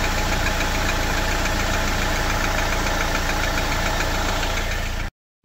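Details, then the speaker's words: Jeep Wrangler JL 2.0 engine, cold idle: steady light tapping about three to four knocks a second over engine hum; oil level at half; noise gone once fully warm after about 15 km; cold-start engine knock. "То есть на холодную он действительно постукивает."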